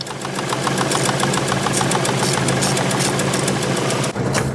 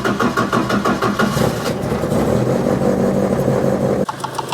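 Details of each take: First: Ford Escort Mk1 with ST170 engine, after shaving down a fitting nut with an angle grinder to cure a self-inflicted knocking noise: steady, even idle with no knock, noise gone. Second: Ford Escort Mk1 with ST170 engine at idle after rocker cover reassembly: uneven light top-end knocking; a cam lobe fouls the rocker cover baffle plate at a fitting nut, noise going when the bolt is undone.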